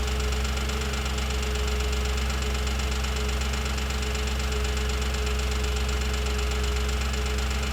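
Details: 2007 Audi S4 V8 idling after a full timing chain job and new clutch and flywheel: steady idle with a light, regular tick over the low rumble; source of ticking not yet found.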